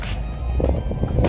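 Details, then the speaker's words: Car petrol engine pulling away in first and second gear after switching from suspected adulterated fuel to better fuel: a steady low rumble with no knocking or pinging, under music; the previous rattle is gone. "segunda também não faz ó segunda ele não faz por porque eu coloquei um combustível melhor no carro"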